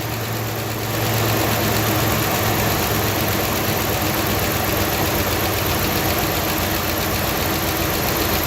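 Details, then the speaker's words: 2011 Ram 1500 5.7 Hemi MDS, after timing chain tensioner and cam phaser replacement: brief noise clears once oil reaches the engine, settling into a steady, even V8 idle with no ticking or knocking; healthy. "all right so my dad was right I was freaking out a little bit there that noise went away as soon as the oil got in there it sounded pretty good"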